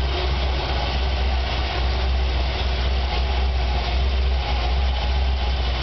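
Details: Chevy 454 big-block V8 on first start: a deep heavy idle with an irregular, loping pulse under a steady drone. Rough idle.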